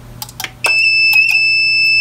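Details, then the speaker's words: APC Back-UPS 550 found in a dumpster, tested with a light plugged into outlets that did not work. A few relay clicks, then a loud, steady high alarm tone with the bad-battery indicator flashing, which points to the battery. "now it's alarming see it's working so hmm interesting see it that battery is flashing on there bad battery so that would lead me to believe that it is the battery"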